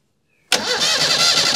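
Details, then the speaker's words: Stored Austin Allegro barn find: the starter whirs and the engine spins but never fires, with no spark seen. A switch, isolator or unknown lead is suspected. Cranking without starting. "stop doesn't look like there's a spark at the moment so I'm wondering um he what that lead is"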